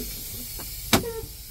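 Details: Big rig with engine off after building air pressure, trailer valve pulled: steady thin hiss throughout from an air leak on the tractor side underneath, broken by a sharp blast of air as a brake valve is pulled.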